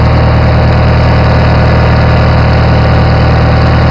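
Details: Farmall 450 tractor engine idling and revved: steady, regular knock about three per second in the low rumble; engine needs a rebuild.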